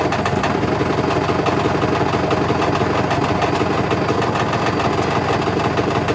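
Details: Hotpoint BHWMXL145 washing machine on a test spin heading toward 1400 rpm: loud, relentless rapid thumping and rattling at top spin as the drum slams around, because two drum spider arms have snapped.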